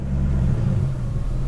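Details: BMW E39 540i 4.4 V8 at low throttle, barely touched: a deep rumble with an unsteady wobble. It surges in the low throttle range below about 2.35% throttle position and holds steady above it, with the throttle valve position moving slightly.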